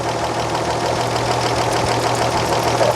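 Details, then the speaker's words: 1938 Chevrolet Coupe inline-six, running with the valve cover off: a steady idle with a light, quick tick in time with the engine; the intake valve lash measures loose against the 0.007 in spec. "So the first thing we're going to do, we're going to measure to see if it's 7/1000 or not. And that's a little loose."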